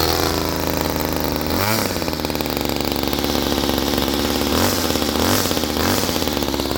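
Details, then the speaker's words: Homelite 2-stroke string trimmer with new string, started up: buzzy high-pitched idle with several quick throttle blips rising and falling cleanly; normal running. "Also, it's gonna smoke a little bit more because it's a 2-stroke, so whatever. All right, let's fire up the old Homelite here."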